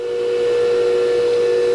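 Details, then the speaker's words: New Hercules 8-inch 1 hp industrial bench grinder, first power-on after unboxing: a clean, steady mid-pitch hum with no rattle or grinding as it spins up; it runs smooth and quiet. "Smooth. Quiet. Seems pretty good. Hopefully it holds up."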